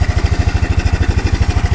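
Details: Kawasaki 300 4x4 ATV single-cylinder after new NGK spark plug and new air filter for a no-start: steady, even thump of about eleven beats a second with no misses; normal idle.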